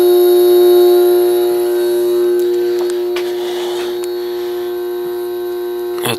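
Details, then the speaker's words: Vintage 1970s Whirlpool 6000 BTU air conditioner with Seeger compressor and GE fan motor, compressor only running at about 390 W: steady hum with faint refrigerant hiss, believed reciprocating compressor; running normally. "and to me it just sounds more like a reciprocating than a [Music] rotary I can hear the refrigerant"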